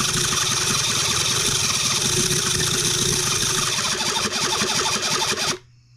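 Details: New Cison L4-175 flathead four-cylinder model engine, first start attempt, main jet closed: rapid uneven cranking chatter for about five seconds that never catches; no start.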